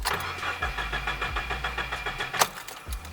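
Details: Subaru (manual) after an oil change, cranked repeatedly with clutch and gas held fully down so it won't start, priming the oil filter: even, rapid starter chugging for several seconds, no firing, cranking healthy.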